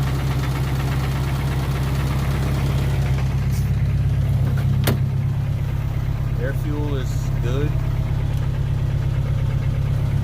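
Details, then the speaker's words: 1992 Accord with stock JDM H22a, turbo GT3582x, 93 pump gas: idles with a low, rhythmic knock, roughly three per second, under the hum, easing slightly with clutch pushed in; persists after alternator and oil change, cause unclear, owner suspects cam. "with that sound and knocking I mean it sound like I know what an engine knock sounds like but it's it's almost weird like it kind of goes away a little bit when I push the clutch in"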